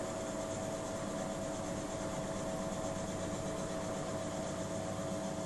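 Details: Miele W 5963 washing machine during the spin cycle, with a steady high whine over a rough rumbling hum. The noise came back after a shop repair and is getting worse; noises at 00:27 and 00:52. Abnormal spin noise.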